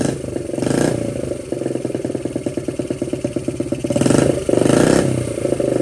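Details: 1979 Honda Z50 with loosely fitted SL70-type low exhaust: small single thumps with quick even pops, revs cleanly twice and settles; normal running and revving.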